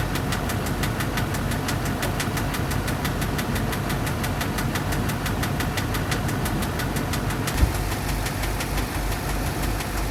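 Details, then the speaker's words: 2005 Duramax LLY diesel, cold start after sitting many months on dead batteries with a check engine light: sharp, evenly spaced tap about four times a second over the idle rumble. Cause of the knock is unknown; a compression test later suggested the engine needs replacing. "i bought this truck many many months ago and it's got a bit of an engine knock noise not really for sure what's going on with it"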